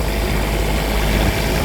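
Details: Cummins Onan RV QD 8000 diesel generator on a Jayco Seneca RV after oil, fuel and air filter service, run checking for leaks with none found: steady even drone at constant speed, no misses, knocks or hunting; normal idle.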